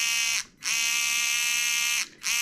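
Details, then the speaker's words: Traxxas TRX4M with Injora crawl gears, transmission regreased with Red n Tacky and case held on loosely without bolts: high steady gear whine, cutting out twice as motor stops/restarts; still loud, slightly quieter, cause unclear. "you know, it's louder. And it's not louder. It's still loud, but it's not quite as loud."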